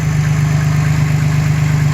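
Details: 2011 Dodge Nitro 3.7 V6 idling after new alternator, PCM found faulty (field coil high-side driver), alternator tested good at 15–17 volts with slight whine: steady low rumble with even regular firing, no misses or knocks; normal idle.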